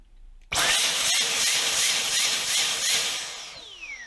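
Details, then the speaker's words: Dyson V10 Absolute+ cordless vacuum, blockage demonstrated: high-pitched motor surging up and down about four times a second, then winding down, while the white light flashes; blockage somewhere in the pipe. "So you could hear that it was pulsing, and what it's basically doing here, I don't know if you can see that, is that that light is flashing. What that's indicating is that there's actually a blockage somewhere in the pipe"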